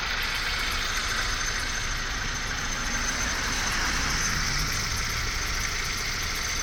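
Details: 1998 Honda CR-V idling cold in cold weather, noise absent when warm and worse at -5°C or colder: thin, steady high-pitched squeal over the engine; owner suspects the condenser pump pulley, not confirmed.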